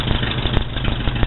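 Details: Rebuilt Ford Model B diamond block four-cylinder (new pistons, rings, valve, head and pan gaskets), exhaust plumbed outside: low, steady idle putter with even firing, no knocking or tapping; healthy idle.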